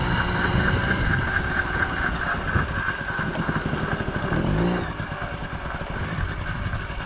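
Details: 1980 Yamaha QT50 two-stroke moped on its test run after its first start in eight years and many new parts: it buzzes evenly, rising and falling with the throttle, with no knocking or rattling. Runs good, nice and quiet, no issues.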